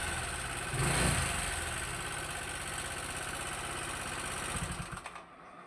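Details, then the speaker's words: Motorcycle engine turned rough again three months after an oil service: uneven ticking rattle at idle, about three beats a second; cam chain or its bearing suspected; on opening, the cam chain tensioner was found. "Dan ini setelah berjalan 3 bulan motor suaranya kembali kasar lagi ya teman-teman ya."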